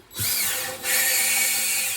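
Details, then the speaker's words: 1962 Plymouth Valiant 225 Slant Six with the head apart, valve being lapped into its seat with compound using a drill; gritty high-pitched grinding under the drill whine that smooths out as the compound is pushed out. Valve lapping grinding. "Oh, you can really hear that one kind of get the grit in there, and then it sort of smooths out. You lose that sound."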